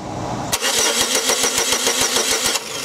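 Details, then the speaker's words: 2002 Chevy Cavalier with no scan tool communication and no check engine light: starter cranks steadily but no spark jumps between the GM coil towers, engine not trying to start; crank no start, no spark. "keep cranking there is no spark coming from these towers at all granted you could have one tower that's sorted and that's causing that condition but the car is not even trying to start"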